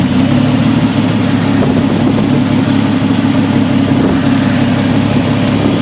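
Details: Jeep XJ with 1998 4.0 engine, coil refitted with custom straps: loud steady idle with rough, shaky undertone and occasional stumble, like a cylinder missing; misfire at idle.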